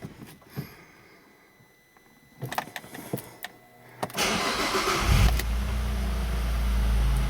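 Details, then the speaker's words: Alfa Romeo Brera V6 after replacing the ignition coil and spark plug that caused a cylinder misfire: clicks, cranking, then a steady, even idle, running smoother; normal start and idle. "it feels like the car is running much smoother already even though I haven't even tried it out yet properly"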